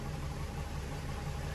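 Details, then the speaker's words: Rebuilt VW VR6 engine after timing work: low, lumpy, uneven idle that sounds like missing cylinders. Owner suspects the timing is well off after belt slack was found; cause not confirmed. "What, you got a freaking 4-cylinder in here? That is off. What was that? Your timing?"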